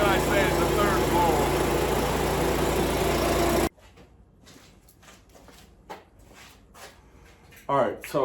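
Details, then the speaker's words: 5.5 hp Yardman leaf vacuum small engine after cleaning a plugged jet and blowing out the old air cleaner, first run in a couple of years: steady even drone at high throttle, no misses or surging; runs normally. "and for about seven bucks this thing's ready to go again runs like brand new"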